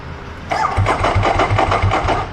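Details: Thor motorcycle, battery behind bodywork, owners fearing it will flood: starter churns in an even beat, about five pulses a second, but the engine never catches or fires; cranking but no start, cause unconfirmed.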